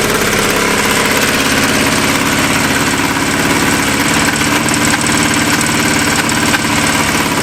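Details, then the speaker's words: Revived vintage Yamaha snowmobile with new plugs and a worn clutch: it races at a very high idle with a fast, slightly lumpy pulse; the idle is suspected to be turned way up, and a bad plug or one dead cylinder is suspected, not confirmed. "It sounds like someone's got the idle turnway up and it's got a bad plug. That's just one cylinder."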